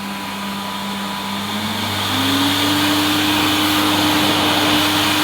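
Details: 1988 Hoover Compact Electronic S3462 cylinder vacuum on hard floor, electronic control ramped from minimum to the rug setting: even rushing airflow with motor whine stepping up in pitch then steady, running normally.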